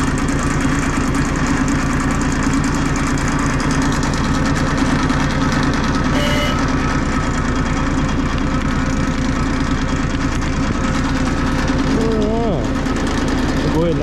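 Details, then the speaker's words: Bomag BMP8500 diesel roller after the throttle solenoid adjustment and fuel filter change: steady, evenly firing diesel chug with a brief work-site horn tone midway, no knocks or misses; repaired and running normally. "this little roller is all taken care of runs does what it's supposed to now"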